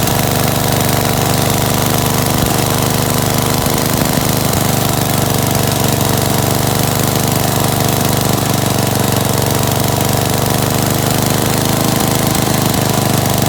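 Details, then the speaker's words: Gravely 816S with a 16HP Briggs single and a replacement Chinese carburetor, rigged-up ignition, first run after about a month: steady, even chug at constant idle speed with no hunting or surging; normal idle. "sounds good that's cool man sounds pretty good huh got my rigged up ignition here"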